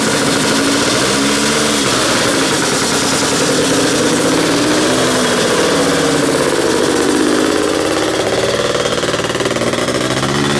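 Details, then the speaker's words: Honda Odyssey FL350 two-stroke after a performance overhaul with a new expansion chamber, muffler, carburetor, intake and liquid-cooled head, being tuned warm toward 1100°: loud, buzzy run with revs wandering slightly, even and free of knocks; sounds healthy. "boy this thing sounds good"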